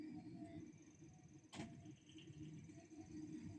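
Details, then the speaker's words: Chaffoteaux Pigma Green condensing gas boiler with front cover closed, with a part removed to cure a howl: steady low fan and burner rush with one ignition tick and no howl, even at a higher temperature setting. Normal burner ignition. "Все нормально, загорілось."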